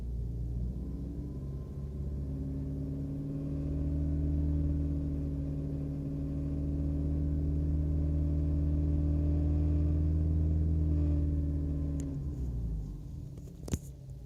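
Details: BMW E90 318i petrol: at idle a deep, rhythmic drone like an unbalanced shaft. At 2,000–2,500 rpm there is vibration, the cabin lightly shakes and the gear lever vibrates. Gearbox mounts were recently replaced; cause unknown.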